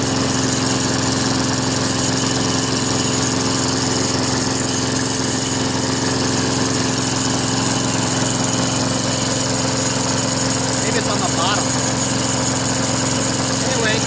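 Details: Craftsman Eager One 4HP Tecumseh 20-inch push mower after carburetor replacement: steady, even single-cylinder drone with no stumbles or surging; runs smoothly and healthy.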